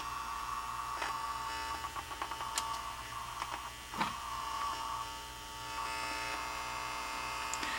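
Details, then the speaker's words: Emerson mini AM/FM cassette boombox in tape mode: a thin electrical hum and handling clicks, no music. The tape earlier played slow and draggy; the owner suspects cleaning or a belt, possibly a lost connection. The radio works. "now it was playing a while ago i don't know why i quit make sure i'm on tape i think i've lost my connection so i'm not real sure what that was"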